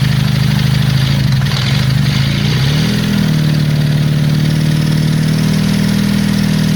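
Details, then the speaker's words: Honda CB350 Four project bike, first start after running fuel in: loud lumpy idle, stumbling beat, wandering pitch, noise from the top; two cylinders run, other two only intermittently; misfire, cause under investigation. "well that's not too bad we've got two cylinders running and the other two kind of running every now and then so we just need to look into it a bit more"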